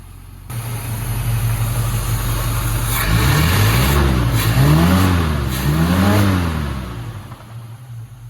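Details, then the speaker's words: Squarebody after tuning: a deep even idle and clean blips that rise and fall smoothly without stumbling, running right. It still pulls little vacuum. "But it has a clean rev finally. And it's getting what it needs."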